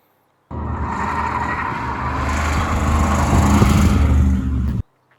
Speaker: You can actually hear it in this clip as it goes by. You hear the tires squeaking cuz it's just dragging the ground.